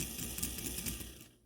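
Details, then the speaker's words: Life-Like Proto 1000/2000 model locomotive: quick ragged ratchet-like clicking from the rear drive truck, dying away as it stops; a cracked axle gear is jumping teeth, and in reverse it locks up outright. "and if I reverse it, it's actually just straight up locking up. Yeah. So this is the symptom that you should look out for."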